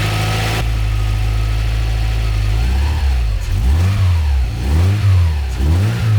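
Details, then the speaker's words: Subaru Impreza boxer engine just rebuilt with reconditioned heads and new parts, first run: steady idle then clean revs rising and falling smoothly, no knocks, ticks or misses; seems faultless so far. "C'est que ça ressemblerait bien à un sans faute pour l'instant."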